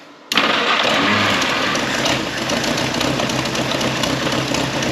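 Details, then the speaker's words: Historic Ford Willys Jeep, long-sitting, started on choke after starter wiring check: engine fires right off and settles into a strong even run with no knocks or rattles; starts and runs healthy. "Choke. Alright, here we go. Fired right off. Give her some more fuel."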